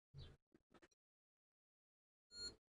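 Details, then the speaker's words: ESR meter testing a capacitor: a few quiet probe-handling clicks, then one short high-pitched beep flagging very high ESR of 9.4, capacitance reading low at 9 µF. "Oh, did you hear that beep? That means we've got a very high ESR, 9.4, look."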